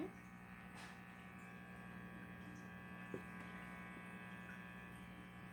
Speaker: So here's the buzzing noise that it makes when I'm not touching